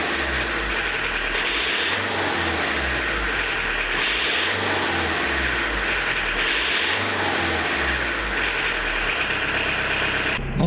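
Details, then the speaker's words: Diesel with Lucas DPC injection pump, injection timing advanced 0.5 mm beyond TDC setting: revs up and down with a hard, clattery tractor-like knock, black smoke, pulling only to about 3000 rpm instead of 3.5-4k; advanced injection timing diesel knock. "Ну сейчас вот посмотрите, как оно будет жестко работать. Видите, как трактор работает."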